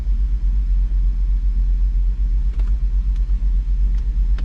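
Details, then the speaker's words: 2007 Jeep Grand Cherokee SRT-8 6.1L Hemi with random and cylinder 1 misfire codes, suspected to be running on 7 cylinders: a deep lumpy idle with a loping, intermittent beat. "And it says random misfire and cylinder 1 misfire detected. My guess is this is running on 7 cylinders."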